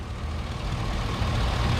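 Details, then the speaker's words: 2004 Chevy Silverado 1500 after a new alternator, belt, alternator pulley, tensioner and battery: deep, steady, quiet idle with no ticks, squeals or rattles; running healthy. "And as you can hear it, you can't even hear this. You don't hear anything. She good."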